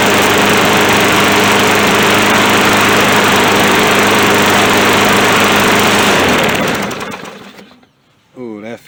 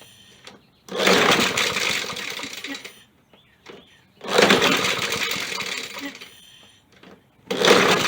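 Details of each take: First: Poulan Pro lawn mower on its first start after reassembly: strong, even single-cylinder drone holding steady speed, then a clean wind-down. It runs healthy without needing a carburettor cleaning. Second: Poulan Pro mower found bone dry, being primed, air filter missing: repeated recoil pulls about every three seconds, each a short raspy whir that never catches; owner suspects too much air without the filter and sprays carb cleaner.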